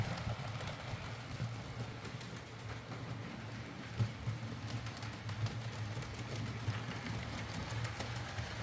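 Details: Used Hornby R2959 Thompson L1 2-6-4T on the layout after the fix: quiet, even motor whirr with light rail clicks and no grinding or catching. Grease on the worm gear cured the earlier forward grinding caused by gearbox play.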